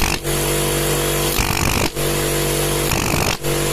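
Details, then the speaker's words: Air compressor that hummed and failed to restart against pressure, capacitor swap no help, after adding an unloader valve for unloaded start: steady motor drone with pumping throb and brief dips; starts and runs evenly without labouring or overheating. "клапан упал то есть все система довольно благодаря этому заработает компрессор не перегревается запускается"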